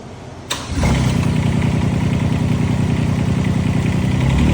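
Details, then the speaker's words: IRE20 mini excavator diesel after drain-and-refill maintenance and a pilot control fix, starting up. The starter catches, then the engine settles just above idle into an even, steady run with no misses or knocks. It sounds healthy. "Let's see. Nice and smooth. I got it just above idle right now. Nice and smooth."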